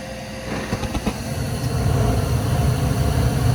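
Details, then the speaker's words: Gas furnace after fixing a pressure-switch fault (3-blink code): a few sharp clicks, then a low steady roar builds as burners light cleanly; inducer motor sounds better, normal ignition. "got ignition guys time for liftoff Wow we got heat we got Heat I'm excited"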